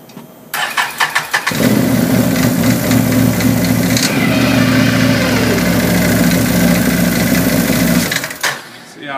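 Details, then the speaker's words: Can-Am Maverick with a Dalton clutch install, running in neutral with the clutch cover off: busy idle with loose metallic chatter from play between the governor cup and movable sheave, normal as made by Can-Am. "I talked with a friend of mine, and he said that, of course, I can see it, there's some play in between the governor cup and the movable sheave, and he said he shimmed it where he wouldn't have to listen to it. But Can-Am made it that way, and with a cover"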